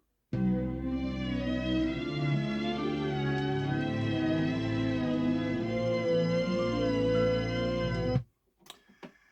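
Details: Hitachi HT-550 turntable that will not quartz-lock; record playback with sustained notes wavering and sagging in pitch throughout as platter speed fails to hold steady. Speed instability (wow).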